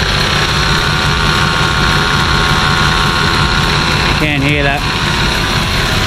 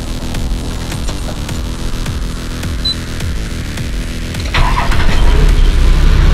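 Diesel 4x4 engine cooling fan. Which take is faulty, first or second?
first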